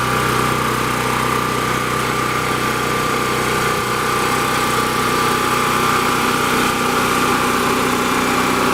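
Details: Champion 3500-watt portable generator, 196cc engine, started on choke after sitting a while: steady, even engine hum at constant speed with no misses, hunting or knocks; normal run.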